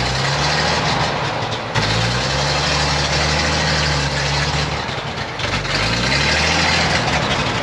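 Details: 1956 GMC 630 fire truck, 503 straight-six with carburetor, rescued off a farm, idling after first revival: low, fairly even throb with a slight hunt in speed, no knocking.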